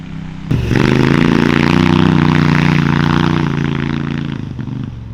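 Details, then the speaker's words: 999cc V-twin CVT buggy under hard pull then throttle off; loose clacking rattle on lift-off as the chain's tight side swaps and the spring-loaded chain tensioner lets the chain flop; chain slap, tensioner not recommended. "so if you hear the clacking noise when we let off the throttle that's because we did a chain tensioner that is spring loaded"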